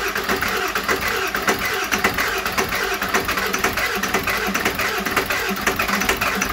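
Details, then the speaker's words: Cold start of a 7.3L Powerstroke turbo diesel (Navistar T444E), 372,000 miles, first run after about two years crated; rough clattery pulse that evens out, exhaust back pressure valve loading the exhaust; healthy normal cold idle. "so this will be uh kind of a cold start um this engine hasn't been run in about two years"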